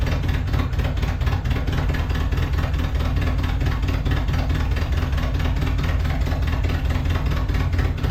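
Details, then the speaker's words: Datsun 720 King Cab 4x4 pickup, abandoned 20 years, carburetor cleaned with spray, anti-dieseling solenoid fried: low lumpy idle that struggles to stay lit. It only runs with extra fuel; owner suspects a vacuum leak letting in too much air, unconfirmed. "there's 600 locations for a vacuum leak and what we're doing is adding a ton of fuel and by adding a ton of fuel it runs but when we don't have a ton of fuel it doesn't"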